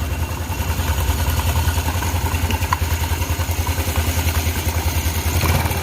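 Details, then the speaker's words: Yamaha Mio Sporty scooter idling: rough, fast clattering rattle about three times a second over the engine, located at the CVT; worn pulley, rollers or clutch shoes suspected, non-original clutch found, not confirmed. "Oke, suara itu berasal dari sekitar sini."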